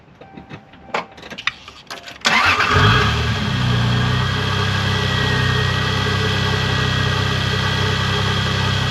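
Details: Toyota Supra MK4 2JZ starts after the split exhaust manifold was welded and refitted with the exhaust back on; starter whirs, catches and settles to a smooth, steady idle, much better than before; normal start and idle.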